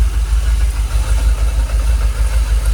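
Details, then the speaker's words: Jaguar XKR idling about 800 rpm, fuel pressure holding 45 psi: low, even idle with a steady deep burble and no stumble or misfire; engine calmed down, no longer rocking; smooth idle, no warning lights. "Sounds alright, doesn't it? You can see on the engine, look, it's calmed down. It's a lot smoother. We're not rocking like it was."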